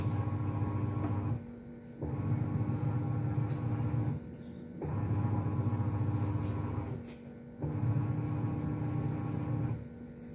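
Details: Sharp single-tub top-load washer after repair. It had made a coin- or bolt-like scraping from a hard object rubbing the pulsator. Now it agitates smoothly: low motor hum in two-second bursts with brief pauses, no grinding or scraping.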